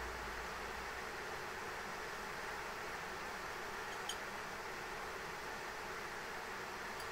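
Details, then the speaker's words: ASUS ROG Strix RTX 3090 graphics card under a Time Spy benchmark run, fans ramping to 100% at about 77–79°C and roughly 1950 MHz GPU clock; steady, even high-speed fan rush with no rattle or tick, fans maxed from overheating. "yeah this thing's just ramping up to 100% fan speed man like this thing is just really just trying to move all the heat he can it's holding 77 Dees 79 degre C right now"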